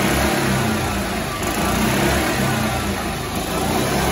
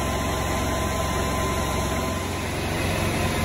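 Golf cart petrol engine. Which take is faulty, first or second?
second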